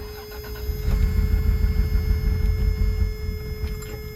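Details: 1989 Toyota 4x4 pickup, 3VZE engine, A340H transmission, not run for about three years, fuel primed, battery connected: brief cranking, then it catches and holds a steady low rumble; starts fine.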